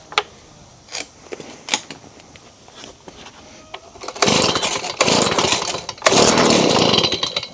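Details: Stihl BG55 leaf blower, bought used around 2020, started after a carb clean and reassembly with the gasket. A few sharp pull-cord snaps, then it catches in loud raspy bursts and keeps running on choke; a healthy start.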